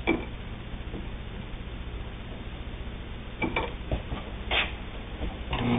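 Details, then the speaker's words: Singer 99 three-quarter size all-steel drive sewing machine: quick, even mechanical clatter at constant speed with no grinding or catching; runs smoothly, normal. "but it's all steel drive a strong machine strong enough to sew just about anything you want to sew on it"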